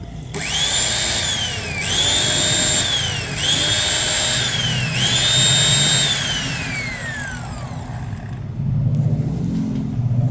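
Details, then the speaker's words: Angle grinder combining a Modern M-2300B stator with a Maktec MT90, new CB-459 brushes: it whines up and coasts in bursts with a rough crackling hiss and heavy brush sparking. The head was turning the wrong way; it should run counter-clockwise. "Hai bisa kalian perhatikan di bagian pengabdiannya dulu dia itu nah ini pengapiannya besar ya dan suaranya juga"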